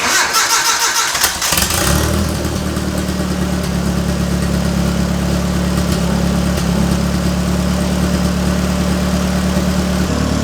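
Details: 240SX drift car project engine: starter cranks, catches and settles into lumpy, uneven idle with wavering beat; owner suspects ignition timing off due to incorrectly marked harmonic balancer, not confirmed; rough running.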